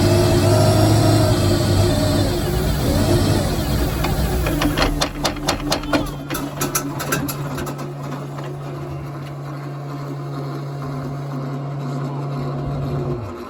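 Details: Chevrolet Malibu at idle: a low steady hum with an uneven, lumpy beat and scattered ticks midway through. Rough idle, cause unclear.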